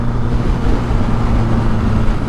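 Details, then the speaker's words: 1983 Suzuki GS1100E custom build on its first ride after three years, carburetors readjusted for running rich; deep, even drone pulling through fourth and fifth gear, taking the gas well with no misfire or knock: normal running under acceleration. "fourth fifth everything's shifting good it's taking the gas real well"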